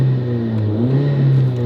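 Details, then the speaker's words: High-mileage VW MK5 Golf GTI with hybrid turbo and new Forge 11 psi actuator, under hard acceleration: strong low drone with rising whoosh as revs climb; healthy turbo induction noise, no-boost issue fixed. "mat Max the induction noise on this is just mental have a listen"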